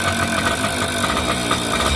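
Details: Suzuki Shogun/Samurai two-stroke idling with a busy, rattly mechanical clatter over the exhaust: excessive engine noise. A mechanic advised feeding oil directly into the bore and adding more oil; the cause is not confirmed.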